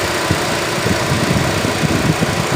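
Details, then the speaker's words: 2018 Hyundai Accent idling evenly with no skipped beats or shaking after repair; cylinder 3 misfire came from a blown ignition coil that damaged the engine computer, fixed by repairing the computer. "Awa ng Diyos hindi na siya palyado ngayon yung andar niya wala ng"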